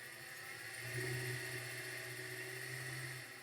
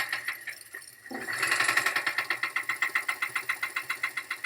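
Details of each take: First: Used 2012 LTZ at auction with many stored codes and low coolant: quiet, steady idle hum with an even tone and no knocks or ticks; motor sounds acceptable. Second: Auction car with engine noise and rpm fluctuation with max A/C, AC compressor suspected near locking: steady heavy knock deep in the engine at about four beats a second over the running engine; severe engine knock.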